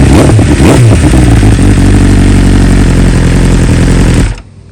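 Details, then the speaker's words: 2020 BMW S1000RR, warm start after dealer replaced two coils under warranty and updated to newest stock software: steady even idle, smooth firing, no stumbles or misses before shutoff; normal warm start and idle. "So obviously that wasn't a cold start. It was definitely more of a warm start, but we'll see how the real cold start sounds tomorrow."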